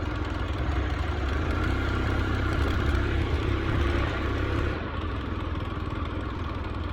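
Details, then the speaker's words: Carbureted Honda Scoopy after camshaft gear and flywheel T-mark timing were re-aligned: uneven low drone that bogs and sags, won't rev with throttle; cause found to be loose, non-original flywheel nut letting flywheel slip on a damaged woodruff key. "Dan tetap hasilnya masih ngempos juga, tidak bisa digas."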